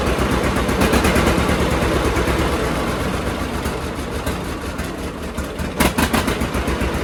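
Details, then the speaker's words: John Deere D two-cylinder tractor after cleaning both plugs and regapping to 0.030 in: pops along evenly at about four beats a second with no skipped beats or backfires; misfire gone, normal idle. "Say what you will, but I think that's running a lot better. I don't hear it missing at all anymore."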